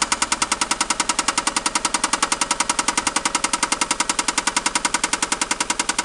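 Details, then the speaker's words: 1990 Toyota Supra, newly acquired, at idle: fast, very even ticking at about 3.5 per second from the top of the engine under the valve cover; a lifter is suspected over rod knock, not confirmed. "No, it's right here under this thing. So it's probably a lifter? Yeah."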